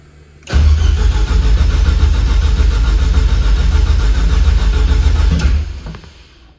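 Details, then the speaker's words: Rebuilt Nissan Juke project, first start attempts: the starter spins hard for about five seconds, then sags and cuts out. The owner found that low battery voltage shuts the electronics off during long or repeated cranks. The battery is weak and was put on a charger. "it's the battery voltage is getting so low that this is turning off um CU it's when I crank it for a while or I do short cranks that's doing it so the batter is just not good"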